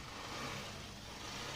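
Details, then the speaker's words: Honda Shine BS6 single-cylinder bike just after half-engine rebuild for smoke, low compression and jerking; started first try despite discharged battery; steady even idle, slightly slow, no knocks; normal idle. "ठीक है कोई problem नहीं है sound वगर सारा चीज सही है किसी भी तरह का कोई दिक्कत नहीं है"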